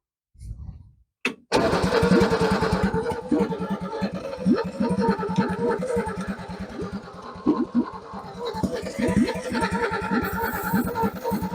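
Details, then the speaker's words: XP Falcon engine, first start attempt after 35 years: starter cranks steadily at about three beats a second but it never fires; crank, no start, timing suspected, not confirmed. "What I might do is get you to crank it while I twist this timing. See if we can get it to fire up."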